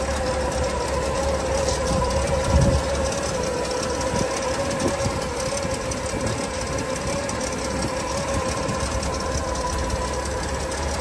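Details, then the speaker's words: 1981 Ford F250 Coachman Caper XL camper converted to 4x4, 54,492 miles, briefly warmed after a cold start: slow low loping idle with faint hum, sitting a little low; idle needs turning up slightly, otherwise runs very well. "Seems like the idle just needs to be turned up just a little bit, but very good running rig."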